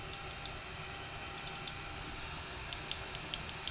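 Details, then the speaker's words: Sovol SV01 3D printer, Y-axis limit switch suspected faulty: crisp little clicks in quick groups of two or three over a faint hum as the limit switches actuate normally. "you can see these make a clicking noise"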